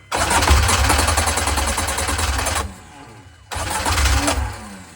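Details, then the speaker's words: Mini 7S on a dyno, fully cold, carb new and freshly jetted: cranks and catches briefly, then stumbles and dies and kicks back against the starter; suspected over-advanced ignition timing, possibly starter or slightly flat battery; hard cold start. "Kind of runs and then tries to kick back on itself. It could be the starter, but it sounds like timing."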